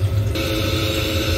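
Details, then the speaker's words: Ideal Logic ES30 combi boiler giving only lukewarm hot water, tap running, burner lit, cover off: loud steady rushing fan hum with low drone, fan running at maximum speed. "so you can hear the fan running away"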